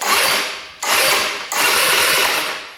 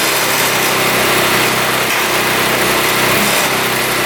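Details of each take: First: 2017 Tao Tao scooter electric starter spins in three bursts with a fast, even whir but never catches; fuse holds; no-start traced to a tight exhaust valve with no clearance. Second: 2017 Tao Tao scooter, small four-stroke, after fixing a tight exhaust valve, cleaning the carburetor, fresh fuel and oil, started on choke: catches right away and settles into a steady, even buzzing idle; sounds healthy.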